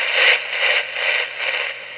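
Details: Elenco FM-88K beginner FM radio kit: constant static hiss swells and fades as the dial sweeps, with no station ever received. Possibly a wrong-value diode or part, unconfirmed.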